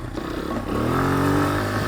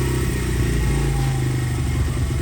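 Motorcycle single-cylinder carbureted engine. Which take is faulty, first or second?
second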